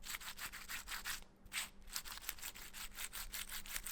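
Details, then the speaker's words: Mountain bike headset lower bearing turned by hand: dry crunchy grinding in quick repeated strokes because sand got inside and ruined it; it needs replacing. "şimdi bu alttaki Rulman ımız bozulmuş arkadaşlar içenler çektirdik ses geliyor içerisine kum girmiş"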